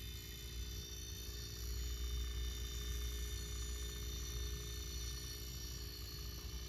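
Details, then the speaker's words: Robinair refrigerant recovery machine compressor running with fans off during recovery, about 10 psi tank and 40 psi low side: low steady hum with faint even pulse, no rattles or knocks; compressing normally. "I've got all the fans turned off so you can hear what's going on compressor's running here it's it's really pretty"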